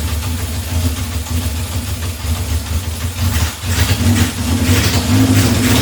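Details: 1978 Honda CB750 K8 four-cylinder, freshly first-started on battery booster with temporary fuel supply; rough, uneven throttle blips, revs rising and falling, no knocks or grinding heard; normal revving.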